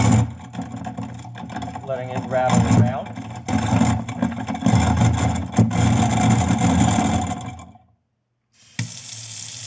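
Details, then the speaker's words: Garbage disposal with seized, rusted-tight impeller lugs, run about 30 seconds with rib bones inside: loud uneven rattling and clattering over the motor as the hard bits knock the stuck lugs loose; the bones worked. "so if you notice that noise actually is a good thing it sounds good that it actually dislodged there you know so so let me go ahead take a look see if it's just watched all right"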